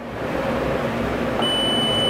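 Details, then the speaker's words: Voyager 600W on-grid inverter under repair, continuity test on the board: a steady high continuity beep holds, showing the first power MOSFET is shorted. "o primeiro machete está em curto esse tipo de teste pode ser feito na placa"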